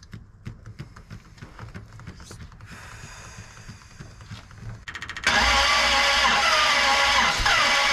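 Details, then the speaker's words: 1967 Dodge Coronet 500 with a new Mopar big-block V8: quiet ticking, then fast, even, airy cranking whir without compression pulses. Compression on only one cylinder; owner guesses all valves are hanging open from wrong pushrods. "well time to dig into this thing and figure out why we've only got compression on one cylinder I have a guess my guess is all the valves are hanging open"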